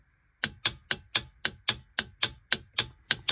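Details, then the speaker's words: Golf cart solenoid bench-tested on a 36 V power supply: crisp, sharp clicks about four a second as it snaps to one side and back to default, showing the electromagnet coil still works properly. "What's happening is this solenoid is clicking to the one side and then going back to the default side. And so that's how you test if the electromagnet in there is still any good."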